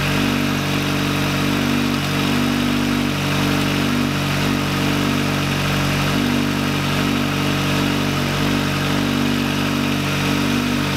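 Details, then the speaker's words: VW Lupo 1.8T restarted after engine damage, rebuilt with H-beam rods, new bearing shells and a 2 mm thick head gasket: smooth, even idle with a steady low drone and no knocks or ticks. Normal idle, running very well. "alles ist fertig also der wagen läuft sehr sehr gut erstaunlich sehr sehr gut"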